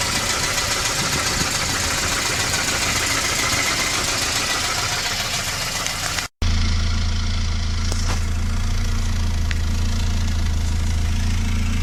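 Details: 1988 Volvo 240 GL idling evenly with a dull knock about three times a second; most likely piston slap, otherwise engine runs fine. Cause not confirmed.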